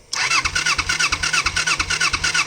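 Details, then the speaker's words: 1988 Kawasaki Ninja 250R, 250cc inline twin, possibly unstarted for about 14 years, cranks on choke in neutral without catching: three even compression pulses a second. The petcock was set to on, not reserve, and its pickup sits above the low fuel level, so no fuel reaches the carbs. "I hit the petcock on on and I realized the petcock sticks up in the tank so if the gas isn't above that petcock it won't get any gas"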